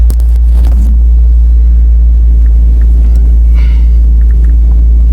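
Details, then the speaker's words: 1977 Honda Civic CVCC wagon, about 62,000 miles, carburetor rebuilt about three months earlier, choke cut: steady low idle hum at normal speed, not quite at operating temperature, holding even without hunting or misses. "running at its normal speed not quite up to operating temp but you can a little better out here"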